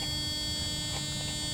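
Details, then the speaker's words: 1996 Mercedes S420: steady electrical key-reminder buzz continues whether door open or closed, should stop with door closed; cause unknown. "so if I close the door or not it doesn't matter see the noise is still there tell telling me that I forgot the key"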